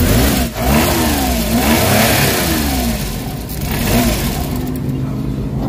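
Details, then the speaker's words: Suzuki DA64/DA63/DA17 small petrol engine with strong vibration, worse with AC on: revs unevenly, then sags and struggles off throttle and dies unless kept accelerated; spark plugs to be checked. "mamamatay. Ayan ang problema guys. So kailangan naka-accelerate ka lang para hindi mamatay yung yan."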